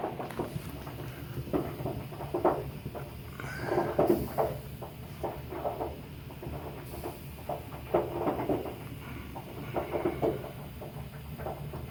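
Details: Hot water heater: irregular dull pops and knocks over a low steady hum from sediment in the tank. Fix would be to flush the tank.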